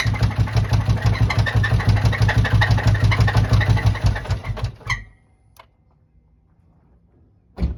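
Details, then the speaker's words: 2007 Chevy Tahoe engine idling rough with all belts off: loud rapid knocking about three per second, then shut down. Deep internal knock, cause unconfirmed; suspected rod or bearings, possibly lifters or valvetrain. "But that screeching sound is pretty bad. It sounds sounds like a rod swinging around or just bearings."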